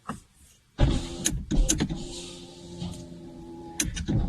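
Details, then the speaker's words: Car about 3 years old: creaky squeaks and rubbing chirps over the motor whir each time the window glass goes up and down. The owner suspects an aged window seal or a loose glass clip and plans to try window lubricant spray. "每次升降的时候都会有一种吱扭吱扭的声音，这一般情况下都是车窗的胶条老化，或者说车玻璃的卡托松动。"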